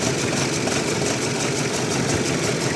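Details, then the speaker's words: 2005 Renault Mégane 2 idling unevenly with a faint stumbling pulse, running on three cylinders; scan showed P0300 and a cylinder 2 misfire; all four coils already replaced; injectors being checked. "voilà là je démarre la voiture on voit que le moteur n'est pas du tout stable il y a quelque chose qui ne va pas"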